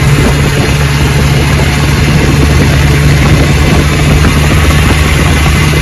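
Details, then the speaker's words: 1960 Johnson 10 hp outboard on the lake, about 70 degrees, after gearcase rebuild and carburetor adjustment, opened up to full throttle: steady high-revving drone, no misses or knocks. Normal full-throttle run. "Open her up and show you how she runs. Perfect."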